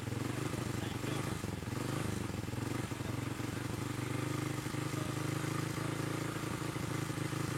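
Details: Motorcycle with a newly replaced but still dripping carburettor: uneven, burbling idle with irregular stumbles; the air screw was fully closed and the carburettor never adjusted.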